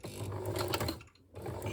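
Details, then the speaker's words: Sewing machine jammed on a reverse stitch through thick belt-loop fabric: a low, strained buzz as the motor stalls, stuck and refusing to sew. "you hear that buzzing? It's kind of just stuck and refusing. So all the noises you're hearing here are the sounds of a very unhappy machine struggling with thick fabric."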